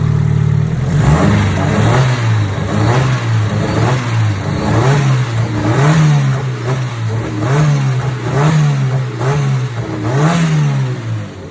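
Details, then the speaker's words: 700hp E85 SR20DET turbo drift car started after sitting three years: lumpy, loping idle with rhythmic surges about once a second over a deep exhaust burble; sounds healthy. It is running a bit hot after being stored without coolant, possibly an air bubble. "sounds pretty good [Music] everything's still good"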